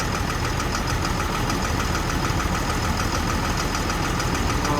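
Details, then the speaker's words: Doosan/Develon DX225 excavator diesel with irregular running, an injector previously suspected of not firing: steady idle with a light irregular tap about twice a second, unbalanced vibration; points to a faulty injector, to be confirmed by cylinder cutout tests. "yeah you can just immediately feel there it's a bit unbalanced a bit of a vibration well here another listen yeah I can hear that tap tap tap"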